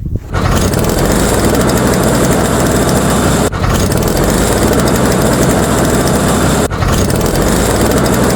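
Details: Toro Power Clear 21in single-stage snowblower, 141cc 4hp two-stroke, pull-started because the electric starter's Bendix isn't engaging. After a first carb cleaning, a loud single-cylinder drone sags about every three seconds then picks up; still surging, carb suspected.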